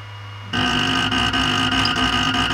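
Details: New Creality Ender 5 Pro on first use: loud steady grinding buzz with fast skipping clicks as the Z axis is forced past its end of travel; fixed by manually rotating Z down.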